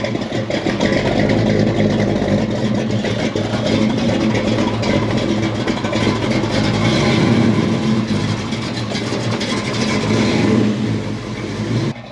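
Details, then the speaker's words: 1967 Ford Mustang with 347 stroker V8, manual, after replacing clutch fork and adjusting: smooth even pull under acceleration, no clicking or grabbing from clutch; quiet clutch, driveline healthy. "so just replaced the clutch fork and got everything adjusted and it feels so much better like there's no more clicking sound the clutch is quiet"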